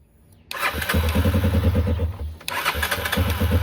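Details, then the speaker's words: 2021 Yamaha XT250, 252 miles, sat since 2022: two bursts of cranking at three or four beats a second that never catch, still not running after swapping the gasket for an OEM one to gain pressure; fuel starvation. "so this thing is still not running I even swapped out the that gasket I was talking about with the OBM one to see if it s if it seats on there better like with a tighter fit so it could gain more pressure but this thing still runs the same"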